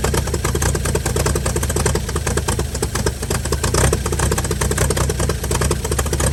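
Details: 1955 Chevy inline six truck revived after sitting about 30 years, used starter, carburetor filled and leaking, just started: fast, even patter with loud busy exhaust, no miss or knock; runs pretty good, normal idle.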